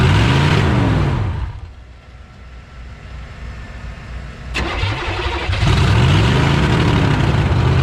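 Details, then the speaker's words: 1986 Chevy 1-ton dually with swapped 6.2 L Detroit diesel, sat 22 years; after the restricted exhaust was unbolted it cranks, catches and runs loud and uneven, lumpy at high idle, smoking heavily white. "baby yes sir smoking like a freight train though [Music] singing smoking so bad this thing is smoking so bad"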